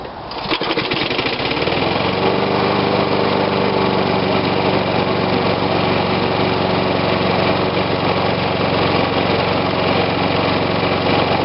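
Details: Old Snapper push mower, Briggs & Stratton engine dated December 1987, refurbished with a modern air cleaner, on choke with fuel in it: pulls over and settles into a steady, even buzz with no misses or knocks; normal running.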